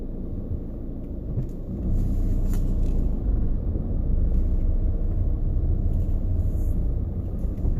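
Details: VW coasting to a stop in neutral: deep, uneven rumble with a loose rattling vibration that seems to come from the center console; owner suspects something like a transmission bearing, cause unconfirmed.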